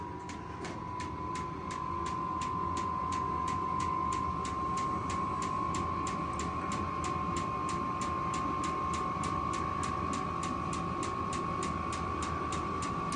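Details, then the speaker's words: Vevor 8 kW diesel heater startup at 39°F on a partly charged battery: hum at first, then about 2 minutes in, crisp fuel pump ticks about four per second over a fan whine rising in pitch, air not yet warm; normal startup. "I hear it humming and running, but it's not doing anything just yet. All right, about 2 minutes later, you can hear the fuel pump running and it's starting to build speed."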